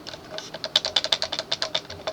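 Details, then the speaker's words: Early-1980s Sears (Emerson) 54-inch ceiling fan on low speed: light, uneven plastic ticking, about seven a second, from a loose switch housing rattling on the nylon bushing between switch housing shaft and drop flywheel; quiet when housing is held. "did you hear it rattling already there is a nylon bushing between the ship switch housing shaft and the flywheel"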